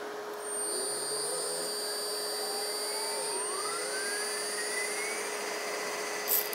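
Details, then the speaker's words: DIY-kit AC inverter driving an AC induction motor/generator on 12 volts, good speed and control, clean output: steady high whine climbing smoothly as speed rises, no knocks or grinding; quiet, healthy, lots of torque. "so it rings working I have good speed I have good control I have a good clean good clean output"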